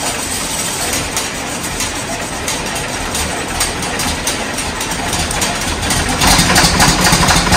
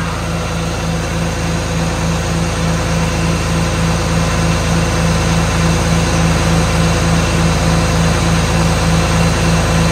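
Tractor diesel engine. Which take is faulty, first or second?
first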